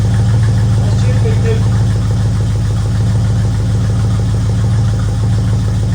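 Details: 1964 Ford Fairlane Thunderbolt clone V8, first run after about six months parked, no coolant, warming up; deep steady even idle, no misses or knocks, owner notes slight lifter noise from sitting, probably needs oil change.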